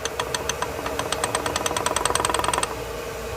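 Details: GM 1.4 engine with strange noise from the bottom end: sharp metallic knocks about three a second over the idle, then fading; worn connecting rod bearing found worn against the crankshaft on teardown.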